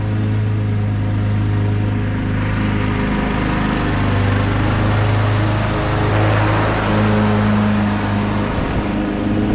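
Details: Husqvarna YTH21K42 ride-on mower mowing with blades engaged after fitting a shorter 100-inch deck belt (old 101.4-inch belt kept coming off): steady, even engine drone and low hum, no squeal or flapping; runs smoothly.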